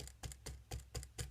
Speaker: today I'd like to share uh a an experience or a solution I found to rattling wheels or loud wheels or loose bearings if you can hear that